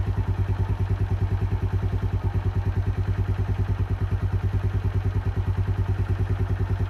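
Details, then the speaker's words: Keeway 125cc with Suzuki GN/GS engine, running after a replaced battery cured the no-start: fast, even single-cylinder putter at a steady idle, no knocks or misses; running healthily, normal idle. "so I was really happy with that sounds pretty healthy no engine knocks no nothing"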